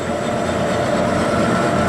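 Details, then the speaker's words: Boring a water-damaged, rust-pitted Suzuki TS185 cylinder on a Bridgeport milling machine, just after changing the cutter insert: a steady, even hiss with no chatter or squeal, cutting much quieter and clean, though pitting remains. "and it's cutting a lot quieter, but there's just a lot of that pitting still there."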